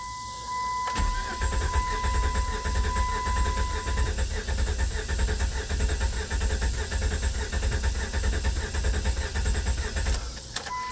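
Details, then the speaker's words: 1998 Chrysler Cirrus LXi 2.5 V6 after replacing the fuel pump assembly and fuel filter: steady, even cranking at about 100 beats a minute for nine seconds, never catches; still no start and no fuel reaching the line. "Must have been something else. Now, I still ain't getting any fuel here, though."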